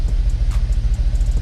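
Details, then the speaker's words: Dodge Dakota R/T, replacement 5.9L Magnum V8 from a Durango R/T, restarted with the oil pressure sender plugged in: deep, even idle, regular firing, no ticking or knocking; oil pressure well past the middle, engine sounds healthy. "Look at that, like it never even skipped a beat. Check that oil pressure. She's way up past the middle. This thing sounds good, you guys."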